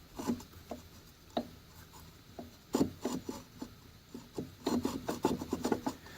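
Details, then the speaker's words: Driveway sweeper during pre-winter maintenance: irregular dry scraping and rasping bursts, some in quick clusters, from something rubbing in the sweeper drive, possibly feeding the gearbox underneath; contact point unknown, bearings also sound worn. "Boy, that sounds terrible. Well, that probably feeds the gearbox underneath, huh? Guess I'm going to have to look at that."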